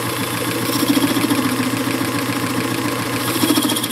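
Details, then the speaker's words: Circa-1919 Hjorth lathe, spindle left unrebuilt, taking a light power-fed Z-axis cut of about a thousandth: steady hum with a faint wavering buzz of slight tool chatter. "in a little bit there's a little bit of chatter feed on the Z here"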